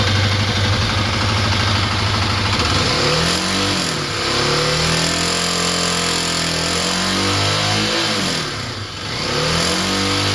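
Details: Kawasaki KLX250 engine blipped, with a dry metallic rattle mainly from the right side/top end; the failing automatic cam chain tensioner was the cause, fixed by fitting a manual tensioner.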